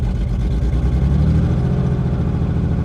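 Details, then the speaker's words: 1984 BMW 633 CSi at auction, half tank of gasoline, throttle cable on pedal; short wavering low rumble that sags and won't stay running. "So the cable is attached to the gas pedal, to the throttle. She just doesn't want to stay running."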